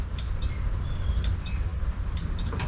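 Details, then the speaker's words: Honda Scoopy (Metropolitan) scooter, kickstarts but won't start on the button: ignition on, each starter press gives a sharp relay click with no cranking; button ruled out, owner suspects the starter relay; faulty starter relay. "Bike is on, we have ignition. If I hold the button and press the starter, nothing. But we can hear this relay here click."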